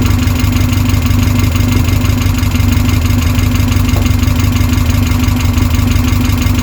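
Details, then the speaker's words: Westfield SEiW kit car engine first start after 7 years unused and a new cambelt kit, idling steady and smooth with no knocks or misses; no coolant in yet, so kept brief. "Sounds really good. Ticking over lovely, considering that's not been run for 7 years."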